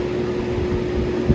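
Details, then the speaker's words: Lakewood model 225 box fan (2001 or 2002) on high speed, motor unstarted for months in cold: steady low hum over airflow; owner believes it's from sitting cold and says it fades after long running warms it up. "but this goes on this fan it goes away uh if i have it on for a long period amount of time"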